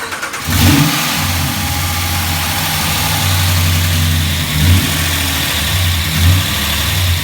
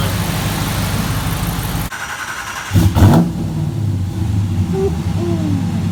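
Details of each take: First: 2017 Ram 1500 Hemi V8 just fitted with a Moe's Performance HPT cam and phaser limiter, first start with lifters pumping up: idle with light puffing tick on exhaust pulses from a small leak at the header collectors on each side, before tightening. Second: 2017 Ram 1500 Hemi V8 with new Moe's Performance HPT cam, after tightening leaking header collectors: lumpy idle and one quick rev dropping cleanly back, no puffing or ticking, cam now audible; normal cammed idle.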